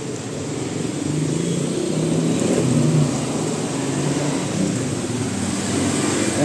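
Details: 2023 Toyota Veloz that had a rough idle, low power and a cylinder 4 misfire (wet number-four spark plug), after the number-four part was replaced and codes cleared: the engine catches and settles into a steady, even idle, and the check engine light is gone.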